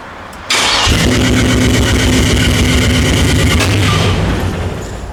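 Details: LS-swapped El Camino, new spark plugs, first start after months of work: brief crank, then it catches and settles into a steady, even idle with no misfire or knocking; healthy start.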